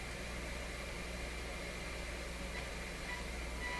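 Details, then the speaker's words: Nordmende Norma Luxus tube radio on FM, fed by signal generator near 100 MHz with little antenna: steady hiss with thin distorted tone instead of a clean tone, no stations received; intermittent contact suspected, possibly a cracked feedthrough capacitor in the FM tuner; distorted weak FM reception. "Okay, so that should be making a perfectly clear tone, not a distorted thing like this. Also, for what little antenna I have there, we're picking nothing else up, including the strong station, which is right in this area."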